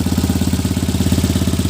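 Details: Tata Nano after the plugs were serviced to cure a misfire: the engine now idles evenly with no shaking and a steady low putt-putt from the open exhaust with the silencer removed, with no missed beats.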